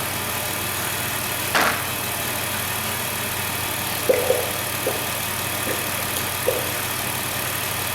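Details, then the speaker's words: High-mileage 2008 Dodge Grand Caravan, replacement 3.8 L engine idling to warm up after coolant fill: quiet smooth idle with a soft steady hum and a few stray clicks from the engine bay; runs fine. "I'm going to let it heat up all the way"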